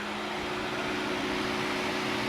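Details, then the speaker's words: 1985 Chevy Celebrity, engine dead cold and not cranked, key on: steady whirring hum with airy rush as the radiator fan runs at key-on; owner suspects a mechanic wired the fan to the ignition switch. "every time you turn on this key this car hasn't been cranked at all it's not been cranked it's not hot that is cold cold cold dead cold you turn it on with the lights come on see fan comes right"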